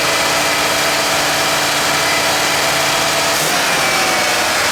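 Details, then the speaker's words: Bullnose Ford right after first start on new carb (EFI-to-carb swap), cold, mixture leaned one turn in each side: fast even clatter up front over a harsh idle; owner unsure, suspects the noisy distributor, may need timing adjustment. "It's not even backfiring. clattering noise up front. Fuck yeah! I don't know if it's that distributor that's kind of noisy."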